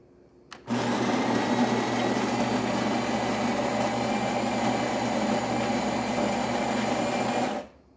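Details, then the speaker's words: Jura espresso machine after a full tune-up (descaled, brew unit deep-cleaned) grinding beans with a steady, even buzz of about seven seconds for a full cup; the built-in grinder operates normally. "now you hear it definitely grinding that's going to be a full cup of coffee"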